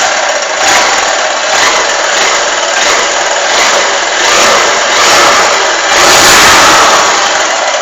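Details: Honda Titan 150 cc motorcycle, just after start-up: light, quick tec-tec ticking over a steady single-cylinder idle, noticeable as soon as it starts; cause unknown.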